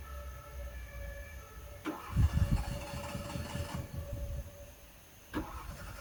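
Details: Fiat cranking: two short bursts catch on only 1 or 2 cylinders with ragged uneven firing, then die each time; won't start or keep running. Owner unsure, suspects old spark plugs or wet wires.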